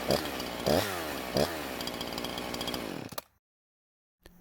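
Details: Husqvarna chainsaw that wouldn't start, on 89-octane ethanol-free gas with synthetic two-stroke oil at 50:1; crisp snarl, clean revs, steady bogged note in the cut, stopping sharply; runs very well and cuts okay.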